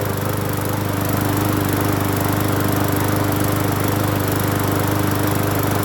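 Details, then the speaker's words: Hyper Tough 20-inch push mower, free, after cleaning the carburetor and gas tank, reconnecting the spark plug and adding fuel treatment: starts and holds a smooth, steady single-cylinder drone with no stumbles or surging, not shaking; normal running. "Spark plug hooked up. Clean the carburetor and the gas tank. So let's see if it'll fire up. Here we go. not shaking either. Not as bad. Wow. Not bad, not bad. Not bad at all, not bad at all."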